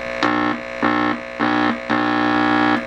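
A loud raspy mains-pitched buzz comes in four bursts as the tube pin is touched, so the audio stage amplifies properly.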